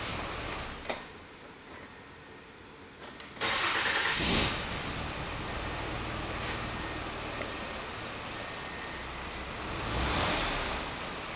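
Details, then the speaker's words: 2005 Mazda 6 3.0L V6 with lean codes P2195/P2197, restarted after clearing codes: idle dips and swells, stumbling when short-term fuel trim ramps to 25% then drops; lean stumble at idle, later traced to a cracked cylinder head. "I don't know why it's behaving like this you can hear the motor stumble too when this drop down happens"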